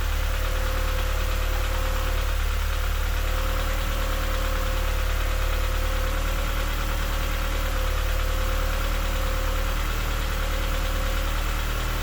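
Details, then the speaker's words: Honda Civic EP2 with K-series engine swap, idle control valve disconnected and water line looped, now idling after erratic idle: steady idle with faint uneven tapping, three or four a second; new light knock of unknown origin. "i think that sounds a little knocky but it idles now"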